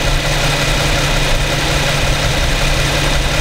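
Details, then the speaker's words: New 2015 Infiniti Q70 3.7 V6, about 1,300 miles, warmed up, idling in drive, recorded with Rode VideoMic Pro: smooth even quiet hum, no knocks or ticks; normal idle. "Pretty quiet. This is in idle, in drive. On 3.7 V6 2015 Infiniti Q70."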